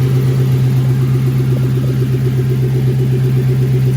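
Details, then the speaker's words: Lexus SC400 V8 started after coolant reservoir replacement: steady even idle with no knocks, misses or squeals, no dash warning lights; running normally. "All right, y'all, we running. No light on the dash. We good. No lights on the dash. We up and running."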